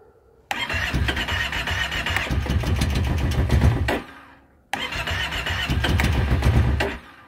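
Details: 2012 Kawasaki Brute Force 650i ATV cranked with choke closed: two steady three-second starter bursts, engine never fires, crank no start.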